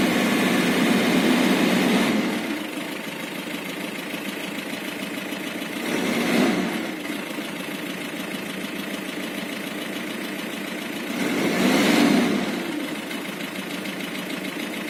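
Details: Isuzu Trooper diesel idling with a steady, fast knocking rhythm; owner unsure if valve or engine knock, with DTC 74 throttle position sensor code also stored; source unclear.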